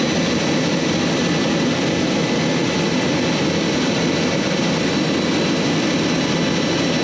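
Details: J79 jet engines on a successful ground run after refuelling and fixing leaks, to verify the leak repairs; smooth, even turbine roar with a steady high whistle, no surges or pops. Normal jet engine idle.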